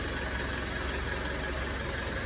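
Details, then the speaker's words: 2018 Mitsubishi MQ Triton after replacing a cracked boost pipe blamed for a whine: steady idle with an even low throb, no whistle or hiss from the turbo side, sounding much better. "So let's start up the bucky and check if the old girl is sorted. Let's see. Okay. Now that sounds a lot better already."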